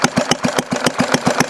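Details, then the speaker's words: Homemade hit-and-miss conversion of a 1951 Briggs & Stratton 6S single-cylinder engine, idle turned down: slow even thumping about seven beats a second, no misses or knocks; smooth low idle starting to sound hit-and-miss. "it's almost run slow enough now yeah look it sounds like hit Miss now"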